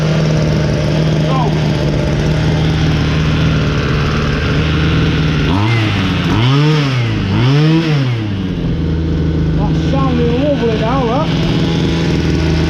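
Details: Ryobi LT2 two-stroke petrol trimmer, repaired after failing to start following a tank of new fuel: steady idle, two clean rev-ups and back to an even idle; running fine.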